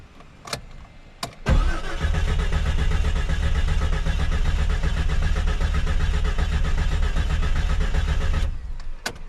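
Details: 2000 Jeep Cherokee Sport 4x4 4.0L six, freshly rebuilt (pistons, rings, bearings, head gasket), low power: compression test cranking evenly about seven seconds, light uniform chug, no start; compression low on all cylinders; later found wrong, too-long lifters installed.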